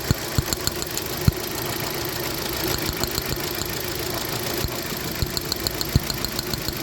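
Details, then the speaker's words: 2015 Hyundai Accent petrol that misfired with no stored codes: after a repaired part is refitted, the engine idles steadily and evenly with no misfire stumble, only faint light ticking. "लगातार गाड़ी start किया देख सकते हैं की गाड़ी start है बिल्कुल सही है बिल्कुल भी इसमें अभी ये फायर नहीं है"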